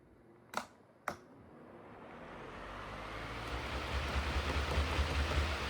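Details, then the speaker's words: Lasko/Holmes stand fan after the loose blade cap was retightened: two sharp switch clicks, then a smooth, steadily rising rush of air with no rattle or ticking; the fan runs cleanly and is no longer loose. "No noise at all now. So you see how it's not flopping around like it was?"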